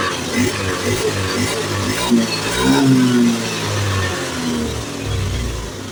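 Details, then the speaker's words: Honda Beat FI (ACG starter) scooter that stuttered when pulling away, after fitting a new TPS: revs climb cleanly and drop back with slow throttle opening, no stutter or hesitation, more responsive; smooth throttle response. "Oke, di sini sudah enak ya. Perhatikan bisa diperhatikan sama yang tadi ya."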